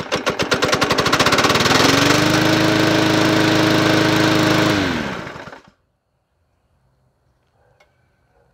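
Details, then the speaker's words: Yard Machines 20" P510 push mower with Powermore engine, sold as non-running, starts after three primes into a hard, fast knock near four beats a second, then dies; sounds like rod knock, oil smell, cause unconfirmed. "why that sound like a rod knock well this is going to be very shortlived"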